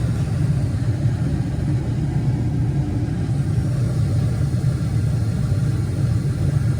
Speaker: running [Music] this is everything normal and it's running good